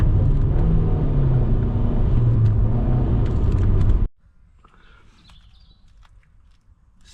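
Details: Alfa Romeo MiTo after replacing a leaking rear silencer (gap at the silencer-to-pipe joint) and the mid pipe with an Imasaf QV exhaust: a deep, steady exhaust rumble with no puffing or leak ticking, then shutoff. Exhaust sealed.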